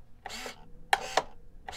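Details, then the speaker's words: DLE-20 gas engine in Balsa USA Stingray RC plane, servo choke test: two crisp clicks a quarter second apart with faint servo whir, the choke plate snapping inside the carburetor, not the control rod; normal. "Pops open and again you hear that snap and that snaps inside there it's not like it's not snap inside of the control rod"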